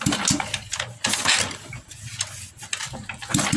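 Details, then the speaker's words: Honda Supra X 125 motorcycle, after repairing a slipping kickstarter and gears that would not engage; kicked without engine oil yet. Firm kick strokes crank the engine with no slipping or freewheel whirr; the kickstarter engages normally. "ini sudah tidak Los lagi Bos motor sudah bisa menyala"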